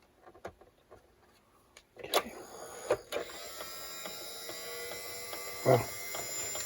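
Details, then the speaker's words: 1961 RGM Model 510 reel-to-reel tape recorder, small drive motor after oiling: handling clicks then the motor spins up into a smooth, steady, speeding whir with no drag; runs freely. "Oil makes a big difference, doesn't it? Hear the motor speeding up?"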